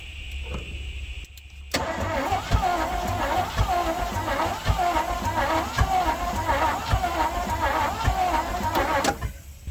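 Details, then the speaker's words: 1967 Chevrolet C50 truck, sat about nine years: steady, even starter churning about eight seconds after gas poured in, never fires; cranks, won't start. Gasoline found pooled on carburetor throttle butterflies, which aren't opening. "well she ain't fired off just yet that looks odd right there"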